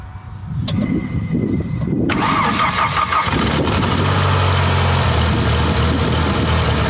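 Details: Ford 2.3L SOHC twin-spark engine just after coil pack mod (coil packs swapped): cranks, catches, flares, then settles to loud uneven idle; rough, funky idle on startup, exhaust pulses stronger.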